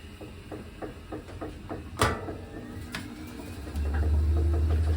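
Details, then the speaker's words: GE top-load washer in diagnostic mode after a motor replacement: light ticking, a single clunk as the clutch engages, then a steady hum building as the drum spins; normal spin, new motor fixed it. "so you've got to hear the clutch kick in and it did already now it's going into a spin cycle"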